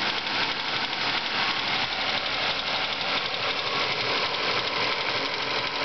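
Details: Ford Focus engine at idle with a light, regular tick about three times a second over a steady idle. Ticking noise; owner suspects the water pump or a worn bearing, not confirmed.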